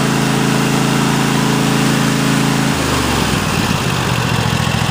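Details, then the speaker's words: Cub Cadet XT1 Enduro lawn tractor, 2015 engine in a 2016 machine, about 4-5 years old: loud, steady drone at full throttle, then settles lower to low idle with no misses or knock; engine runs great. "low speed again that sounds great good to go been shutting off man machine ran great"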